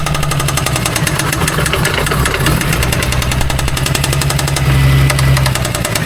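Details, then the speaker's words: Magnaro engine at idle with the noise heard at the bell housing: a loose, irregular, intermittent knock echoing through the hollow housing, the clutch area suspected but the source not confirmed. "It literally sounds in here. It sounds in the bell housing area and it's just echoing through cuz this is all hollow."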